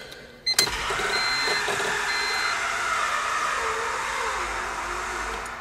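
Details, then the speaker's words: 1999 Honda Civic remanufactured engine, first start, oil squirted into spark plug holes: starter whirs sluggishly and unevenly with no firing, cranking slower than it should; owner suspects a dead battery. "and it sounds like my battery's toast and guess whose battery charger is in the other car"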